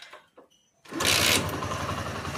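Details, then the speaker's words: TVS Apache RTR 160 BS-4 after tappet (valve clearance) adjustment: the engine catches and settles into an even, steady patter, and the earlier ticking from the top end has stopped. "देखिए यह जो मेरा back proper start हो गया और kit kit kit का जो सूंड था वह भी बंद हो गया यहां पर"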